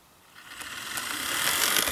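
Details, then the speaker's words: Athearn C44-9W model locomotive (BNSF 1096) fitted with a new Athearn RTR replacement motor, running on the layout: a light whirring gear chatter that builds steadily and evenly with no binding. The motor runs fine, if a bit noisy. "all right it runs great there it is it's a bit noisy but it's all right"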